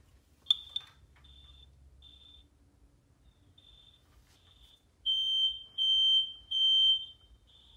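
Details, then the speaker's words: Fire-X smoke detectors (about 20 years old) sprayed with test smoke to check them and their interconnect. Only the downstairs Kidde unit sounds properly, with shrill temporal-three beeps after faint chirps. The rest are judged broken. "The only one that works is the one downstairs. Oh my gosh, that was them all going into alarm."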